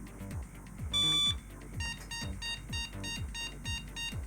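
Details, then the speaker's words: Soyo SY-015G Am386DX motherboard, cleaned of battery-leak corrosion, with memory and a PC speaker fitted: one long and eight short POST beeps mean the BIOS finds no video card; the board initialized otherwise. "yay one long and eight short beeps that means that everything is initialized but the graphics card is missing"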